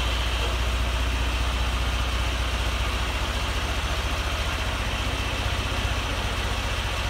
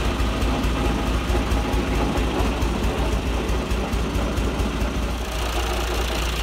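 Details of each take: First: John Deere 2040 tractor diesel after water pump rebuild, new hoses and fresh antifreeze, temperatures cool: steady, even idle with a smooth low throb and no squeal, grinding or noise from the water pump; normal idle. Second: John Deere 2040 tractor diesel at idle with a bad water pump bearing and a visibly wobbling shaft: a loose, uneven rattle rides on the idle beat from the water pump.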